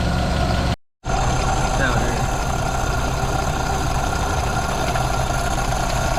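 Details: 1932 Ford Model B five-window coupe warming up after exhaust/intake manifold gasket replacement (cracked exhaust manifold), bolts retorqued to about 30 ft-lb: brief dropout, then steady even idle with no hiss or hunting; no vacuum leaks, running pretty good.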